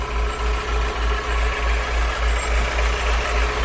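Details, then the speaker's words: Steady idle with a rhythmic whirring pulse about three times a second and faint high whine; noise heard near the pump but reflected toward the back, a worn water pump suspected. "será que tá ruim a bomba d'água o engraçado galera que fazia o barulho aqui e ela reflete lá atrás né por isso que eu suspeitei ali"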